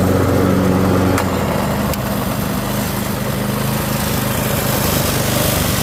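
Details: Curbside Toro 5.5hp self-propelled mower, set to full run on level ground during a 10-15 minute extended run, runs at a steady, even speed with no misses or stumbling and improves as it runs; normal running.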